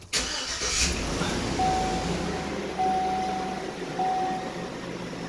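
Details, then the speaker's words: Tahoe at 337k miles after lifter and rod repair: quick crank, then the engine catches and settles into a smooth, even idle with no valvetrain ticking; it sounds healthy, as it should. "now she sounds beautiful. That sounds how it should."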